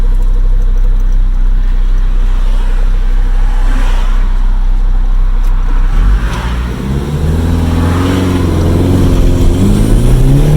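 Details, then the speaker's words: SR20DET turbo Datsun mini truck, after a fuel-system fix with an uprated fuel filter, accelerating up to 120 km/h: the engine note climbs cleanly through each gear with no stumble or fuel cut. There is a minor unexplained glitch in second gear. "that was up to 120 kilometers an hour so just over about 70 ish miles an hour they've gone through the gears quite nicely"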